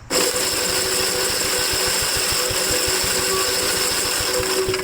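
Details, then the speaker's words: 1957 Gravely L tractor after swapping in a replacement starter that had growled on the bench and cranked slow, little fuel in tank: steady fast chatter of the engine spinning at even speed for five seconds, no growl or drag; starter cranking healthily. "all right so the starter is working pretty good"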